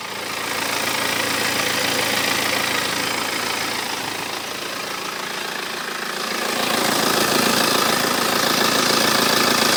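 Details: 2008 BMW 318d diesel at 140,000 km: dry metallic rattle at idle, louder when revved and audible on stopping, from the timing chain; gone after chain and tensioners were replaced.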